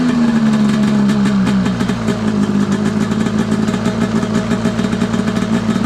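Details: Arctic Cat F7 snowmobile two-stroke back after a year or two at a buddy's, warming up on the stand; it had snuffed out as if seizing, fuel swapped to fresh oil-fuel mix. Crisp, steady even idle after a short rev, no misfires; engine sounds healthy.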